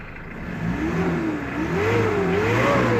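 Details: 2000 Mitsubishi Pajero 2.5L diesel, now running after fuel starvation, suspected blocked tank or collapsed pipe, running on a bypass: revs up cleanly and holds steady with smooth rises in pitch. No misfire or stumble, though the ECU still won't communicate.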